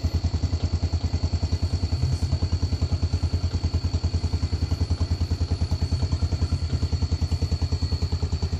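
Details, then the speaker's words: Yamaha Vega ZR after engine repairs for rough running and white exhaust smoke, plus a starter repair: an even single-cylinder thump at idle, about three beats a second, with no knocks or rattles; normal idle. "ini saya antar lagi ke rumah pemiliknya juga ya suaranya sudah halus dengarkan saja"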